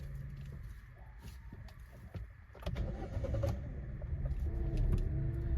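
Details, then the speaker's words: Hyundai Exter 3-cylinder petrol cold start in winter at 18°C outside, after two weeks unstarted, window open: quick crank and catch, idle climbs and holds a bit high; normal cold-start high idle. "ये देखो इस तरह से थोड़ा उसने time लिया और RPM थोड़ा हाई गया था।"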